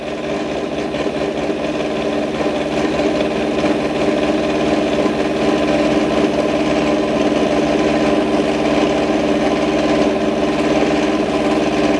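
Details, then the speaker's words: Milling a V-slot in a float lock vice jaw on a lathe with the cutter in the chuck, small cuts: steady mid-pitched cutting drone with rough buzzing chatter because the work isn't held rigidly. "now only going to take small cuts because the work is not as rigid as I would like so there is a bit of chatter as you can hear"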